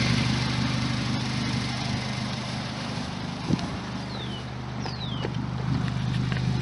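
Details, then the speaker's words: 2006 Suzuki Aerio after a couple of trips on a cheap connector-pipe fix of a cracked, rusty exhaust: steady even low idle rumble, no puffing or ticking, exhaust holding and barely leaking; normal idle. "all right well I just did a couple of trips and seems to be holding together that's what it sounds like not too"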